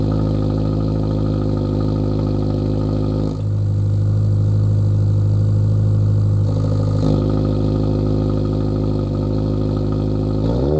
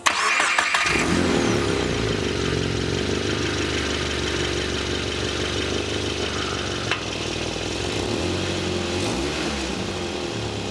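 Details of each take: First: Lowered Subaru VB WRX after intermediate pipe upgrade (replaced after damage while driving): deep steady exhaust drone swelling with a couple of revs, cold start noticeably louder, no rattles or blowing leaks; normal exhaust note. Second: Lowered VB Subaru WRX with new cat-back exhaust, resonator right after the cat-back torn open by a raised steel plate: engine catches, then a loud, raspy, blatting idle with a hissy edge from the exhaust leak.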